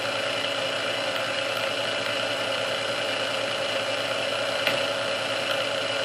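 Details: Restored Sunbeam Mixmaster Model 12 that had been quickly overheating its rebuilt speed resistor, after swapping all internal parts: steady motor hum at constant pitch on first (low) speed for about 2 minutes, neither creeping up nor sagging; original cause unknown.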